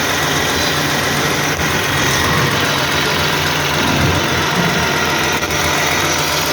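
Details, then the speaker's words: 2009 Toyota Highlander/Kluger 3.5 V6 after replacing the drive belt and the noisy belt tensioner: steady, even, smooth idle with no chirp or squeal, and the noise is gone. "so you can see no any noise now"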